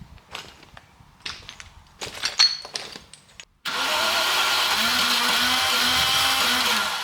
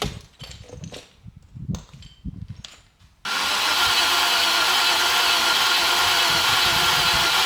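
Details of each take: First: 1990 Range Rover Classic V8, stored in a barn over 10 years, after an oil change and long cranking: fires abruptly and settles into a steady, even idle; starts and runs normally. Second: 1990 Range Rover Classic stored in a barn over 10 years, after refitting fuel tank and lines: about ten seconds of steady cranking that never catches; owner suspects tank breather or vacuum/pressure issue.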